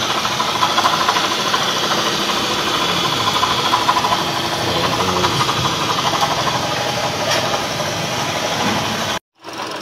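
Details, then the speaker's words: Toyota Vios running engine with constant gritty whirring rasp even after alternator bearing replacement; noise stops with belt removed, mechanic suspects water pump bearing rather than pulley. "So titingnan na natin kung saan yung maingay na yun. Oh either pulley or water pump. Pero tingin ko dito water pump yan eh."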